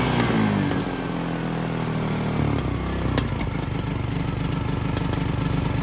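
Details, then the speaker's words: 2010 Polaris Ranger RZR 170, sat for years; a spring and possible air screw had fallen out. Small engine idling with an uneven, lumpy beat of three to four pulses a second. Rough idle; owner thinks the air screw needs adjustment. "I think it just needs an air screw adjustment now idles now"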